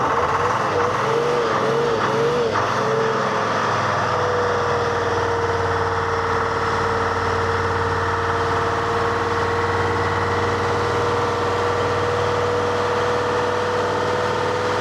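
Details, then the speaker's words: Telehandler with Detroit Diesel 353 two-stroke, hand-idled at full: surges then holds steady high drone, never settles to idle, really struggling; plugged fuel filters (secondary suspected). "Man, it's really struggling. I think that's mostly that secondary, but that should be primed."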